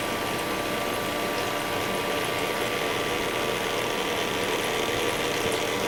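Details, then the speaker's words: Master Chef countertop ice maker with replacement magnetic-drive water pump running with water: constant rushing, buzzy churn with a faint rattle; no longer whining but still noisy, cause unclear. "new that really doesn't sound all that great but it's not whining so I guess there's that"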